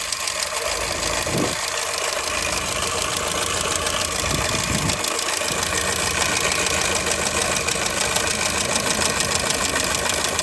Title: Стук в двигателе , fabia 2002г что может стучать